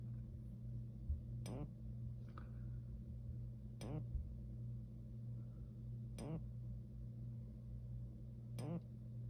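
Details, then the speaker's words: Simplex 4903-4144 fire alarm powered by three 9-volt batteries; the strobe works. The horn gives only a faint steady low buzz with a sharp click every two to three seconds. Weak horn, partially working, cause unknown. "i'm using three nine volt batteries to power it but the strobe works but fine some reason this the horn doesn't work properly so i'm going to demonstrate that in three two one you can faintly hear it"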